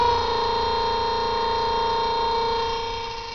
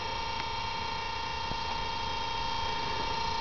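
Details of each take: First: Antique two-pole Crocker-Wheeler 1/6 hp DC motor (115 V, 1.75 A, 1600 rpm, patent date 1891) on about 115 V from batteries runs with a steady, even hum; most noise comes from one brush, the other is quiet. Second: Antique Crocker-Wheeler 1/6 hp two-pole DC motor, 115 V, 1.75 A, 1600 rpm, patent date 1891, run on about 115 V from nine car batteries; steady hum with buzzy whine and faint ticks, most noise from one brush, cause unknown: noisy running motor.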